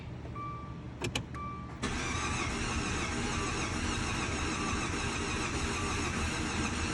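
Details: 2013 Dodge Dart with freshly installed used replacement engine, first start attempts: after a couple of chimes the starter cranks steadily for several seconds but never fires; cranking, no start.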